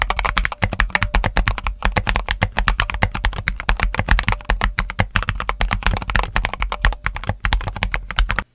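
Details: Mechanical keyboard with switches whose springs were only donut-dipped in lube, leaf spring unlubed; fast even typing with a faint metallic ring trailing each keystroke, audible spring ping.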